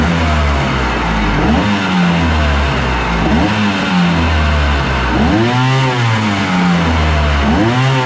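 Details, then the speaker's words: Aluminum mini jet boat with a Kawasaki 1100 jetski two-stroke engine, run on the hose out of the water after cleaning bone-dry carbs: burbles and blips off idle with a faint light rattle of slight jet pump chatter. "All right, here's it running on the hose after I cleaned the carbs out. You can hear a little bit of pump chatter."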